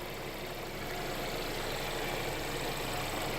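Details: Mercedes CLA idling after a DIY oil change with Mobil 1 0W-40 and an OEM Mercedes filter. Even, settled idle with a steady hum and no knocking or rattle. No leaks were seen at the filter; the engine runs fine.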